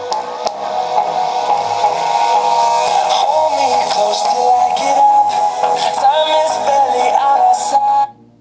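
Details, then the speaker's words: JBL Flip 2 Bluetooth speaker playing a song thin, boxy, low-volume with no bass and crackling; driver's rubber surround ring appears bad/missing so the cone doesn't move properly. "So I am playing it again so that you can notice the crackling sound. I think the complete ring of the speaker is bad. Because of that, crackling sound is coming."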